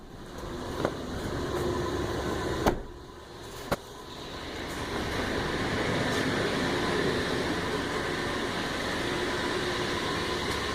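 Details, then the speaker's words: 1999 Land Cruiser 100 Series, first cold start after replacing the muffler with a new Bosal unit and gaskets, heard on a walk-around: soft, even idle with a steady exhaust note, much quieter than before and no leak puffing or ticking; normal. "Sounds good. I don't hear any leaks. I think that's a success."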